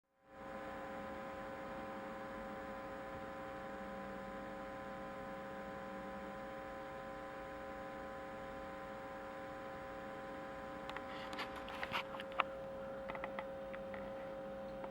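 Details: Pinto J.C. Penney CB radio: a steady buzzy hum from the speaker with occasional crackles and clicks. The owner suspects AC hum; replacing the power-supply electrolytic capacitors, checking the diodes and grounding changes had no effect. Cause unconfirmed.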